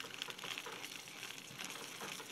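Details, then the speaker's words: Abu Garcia Ambassadeur 550 Plus baitcaster spool spinning freely on its factory bushings, before they are swapped for ceramic bearings. It gives a thin, dry rattling buzz from the worn bushings. "doesn't sound very good"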